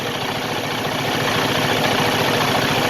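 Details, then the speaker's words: Used semi truck diesel at idle during pre-purchase inspection: quick, fairly regular tapping about three times a second over rumble, "taka-da"; abnormal knock, source not found, possibly from sitting a while. "This one has a noise somewhere over here. That noise, taka-da, taka-da."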